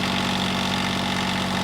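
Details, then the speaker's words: John Deere 332 lawn tractor with Yanmar diesel, warm after voltage regulator change (readings about 169, radiator 147, exhaust manifold over 200): steady even diesel clatter at constant idle, no misses or knocks, quiet when riding; normal idle. "riding on the unit, it's surprisingly quiet. It's quieter than a Snapper lawn mower."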